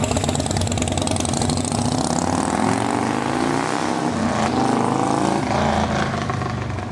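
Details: Long-parked display V-twin bike just revived, throttle blipped hard: deep throb climbs cleanly through several revs and settles back, no misses or knocks; healthy engine revving freely.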